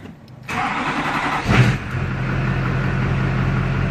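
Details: 2001 Chevrolet LB7 Duramax diesel after AirDog II-4G 165 lift pump install: short crank of about a second, clean catch, steady even idle with a low drone; healthy start.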